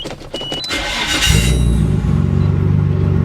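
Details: Nissan Skyline GT-R that had a starting issue: brief cranking, then the engine catches cleanly at about a second and settles into a steady, even idle; normal start.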